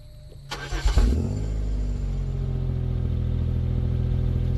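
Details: Pontiac Grand Am 3400 V6 with a new 65mm throttle body, muffler and GMC Acadia exhaust tips: quick crank, then it catches with a rev flare and drops into a deep, steady idle through the louder exhaust; sounds healthy.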